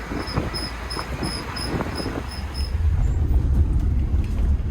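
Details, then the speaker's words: Vehicle driving on road: high chirping squeak repeating about four times a second with wheel speed, stopping when the brake is pressed. Suspected dragging back right brake caliper, not confirmed. "I think it's that back right caliper, because when I press the brake, the squeak goes away."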